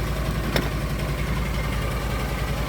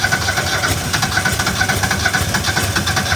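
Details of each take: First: Argo ATV after winter-storage no-start repairs (upgraded carburetor), running with no jumper wires after the fuses were replaced: steady, smooth low idle rumble with no knocks or misses. Normal idle. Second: Argo that wouldn't start after sitting all winter: it catches and runs rough, sags, then cuts out for two seconds before refiring. A bad but not blown fuse is cutting power to the fuel solenoid; the fix was a fuse replacement.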